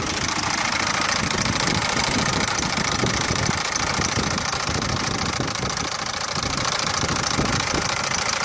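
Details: Peugeot 407 with 1.6 HDi diesel engine at idle: loud, harsh clatter with a loosely repeating tick about twice a second over a busy rattle; abnormal engine noise, source unclear.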